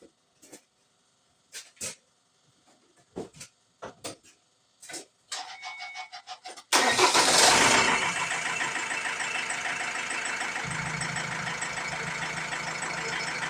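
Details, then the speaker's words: 2007 Ford Transit Mk7 2.2 TDCi diesel after new injectors fitted and lines bled: after a few clicks it catches, flares, then drops to a lumpy wavering idle; rough idle and stalling persist, injector coding and relearn pending. "So let's try to start. The problem is still there."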